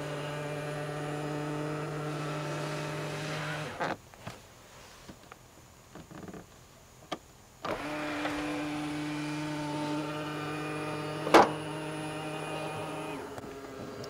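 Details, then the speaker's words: New Tesla Model X, middle-row power seat moving to give rear access: steady motor hum stops, resumes, then one sharp loud pop at end of travel as the seat cover plate sticks instead of moving with the pedestal, then snaps free. "so that scared the out me the first couple of times when I uh were to access the rear it would make that noise right at the end of the travel and yeah it definitely was pretty loud"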